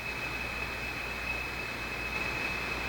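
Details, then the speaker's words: National HRO receiver after 2nd and 3rd IF alignment, antenna connected, ground not connected: steady hiss with thin high ringing tone throughout; ringing suspected from the crystal filter, not confirmed. "you hear a ringy a ringy sort of sound in there like something's trying to ring but it can't quite do it that's the sound of the crystal filter I'm pretty sure"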